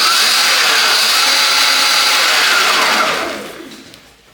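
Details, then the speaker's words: Abandoned 2020 Surron electric bike that sat in a garden, run on a non-stock battery without the communication plug. Motor casing is cracked but it runs: smooth, steady high-pitched whine, then a clean wind-down as the motor coasts to a stop. "running there's not actually anything wrong with this just um yeah there was actually nothing wrong with this except the motor that's cracked but it runs"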